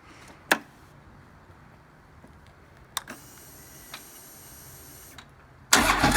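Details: 2009 Harley-Davidson Road King, final start check about 5 minutes after reassembly following a starter clutch replacement for a horrible starter noise. A few light clicks and a brief whir, then a clean catch with no grinding or clatter: starter engages normally.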